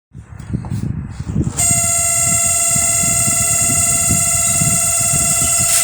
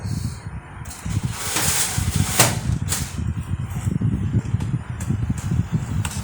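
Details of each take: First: LG microwave starting with a loud, harsh buzzing hum over a rough rumble; cooling fan rotor is loose and off-centre with too much play, to be fixed with a shim washer. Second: LG microwave after repair of loud cooling fan, where loose rotor was off-centre and was shimmed with a washer: steady low hum, fan turning smoothly with no rattle or scraping.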